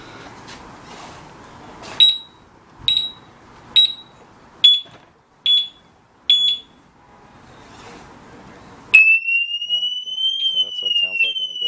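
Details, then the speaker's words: Urban UR6 alarm disc lock on a Victory Empulse TT motorcycle, armed: short high warning chirps about once a second as bike is moved, then loud continuous warbling siren; alarm triggering normally. "So if I do anything to the bike, it should warn me or something. So that was the warning, and I guess if I do it again,"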